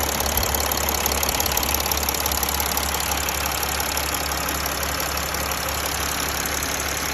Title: Mercedes ML 280 CDI OM642 Ticking Noise